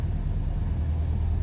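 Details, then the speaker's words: Detroit Diesel on a 53 ft Hatteras, started after the water-filled Glendening synchronizer was rebuilt (cleaned, frozen pulse generators freed, new cable). It fires right up and settles into a steady, even low rumble with no knocks or misses: normal idle. "Fires right up and it's operating properly."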